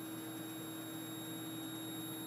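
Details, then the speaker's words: Lightdow LD-160 dimmable 160-LED video light: faint, steady high-pitched whine over quiet room hiss, recorded held close to the camera microphone; louder the higher the brightness, barely audible at a distance or when dimmed. "I've noticed that whenever this is turned on the higher you go it kind of emits like this squeals"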